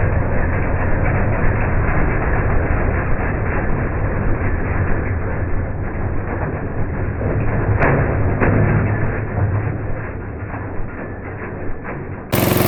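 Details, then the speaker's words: MTD 5 hp chipper/shredder, owner guesses 1990s-built, running after carburetor kit fitted: steady low engine drone sags briefly as branches are fed in, then recovers; normal running under load. "yeah it's definitely slow going but it's a workhorse not bad for 60 bucks total put into it a couple hours of labor to get it running"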